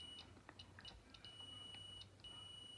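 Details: Polaris RZR power steering relay energised by a 12-volt bench power supply: the meter gives a steady continuity beep with short breaks, so the relay switches properly and tests good.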